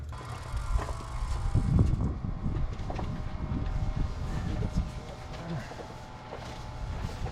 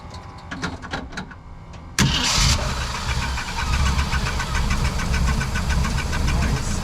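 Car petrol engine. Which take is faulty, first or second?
first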